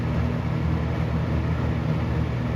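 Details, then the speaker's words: Galaxy 6708 fan whose shaft shows end play needing thrust washers: steady, even low hum with no rattle, tick or scrape; motor running smooth and quiet, bearing problem seemingly solved itself. "that's quiet dude that thing shut right up let's make a noise it's like it's doing the fan thing"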